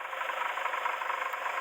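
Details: Hillman Imp, warmed up at idle: light, steady knock riding on the engine's tick; first thought a bottom-end knock, now suspected water pump since a listening test on the engine hears no rattle, not confirmed.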